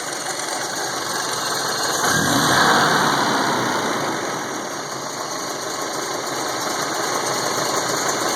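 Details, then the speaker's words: 1971 Volvo 142 (140 series) with IPD upgrades, cold start with no throttle: quick, even idle beat with hiss, no misses or knocks. It fires right up every time; a fuel ratio controller can richen the cold idle. Normal idle. "So that's, you know, without giving it any gas at all, it just fires right up every time."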